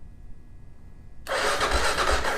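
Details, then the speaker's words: 2001 Kawasaki KLR650 single after sitting 4 years, fresh battery fitted, cranking in neutral: starter turns it over at a steady pace with a firm pulse each compression stroke; it has compression. "Okay. Sounds like it's got compression."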